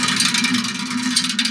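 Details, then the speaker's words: Bicycle wheel spun by hand: hissing whir with dull, uneven thunks and no musical ring, the sound of a low-tension wheel whose spokes are all too loose and need retensioning. "that dll thunking sound that usually means that the wheel needs to be retention all of the spokes are going to be too loose"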